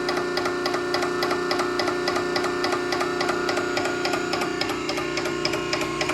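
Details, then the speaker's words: Nugier Co. 100-ton hydraulic press running: steady motor hum with even mechanical tick about three to four per second, nothing grinding or squealing; motor sounds good, no weird noises, normal operation. "It sounds good. Motor sounds good. No weird noises."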